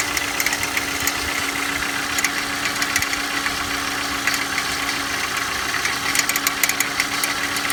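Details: Engine at cold idle: light rapid ticking over a steady idle; owner asks for help identifying an abnormal noise present when cold, source unknown.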